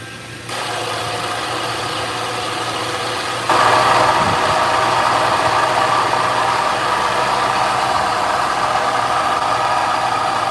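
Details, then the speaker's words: 2009 Subaru Outback 3.0L H6 after A/C compressor clutch replacement: idling engine, then a louder rough rattling hum as the compressor engages; compressor internals shot, wobble plate damaged. "so that means that the internals of the compressor are shot the the Wobble plate inside of it is messed up"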